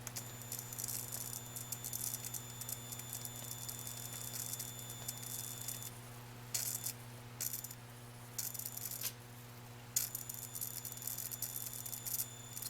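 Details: Atwood APS-5530 RV power converter outputting only 6 volts, light bulb load switched on: steady hum with sharp irregular crackling; crackling under load, cause suspected not confirmed.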